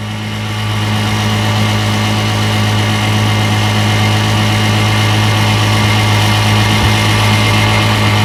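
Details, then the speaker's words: Restored 1958 5.5 hp Evinrude two-stroke outboard (replaced power head, carburetor, gear case), warm, pushing a 14-foot John boat about 7 mph: smooth, even buzz holding steady pitch, no misfires or rattles; running healthy. "As you can tell, she's a beauty. 7 miles an hour is not too bad for a 5.5."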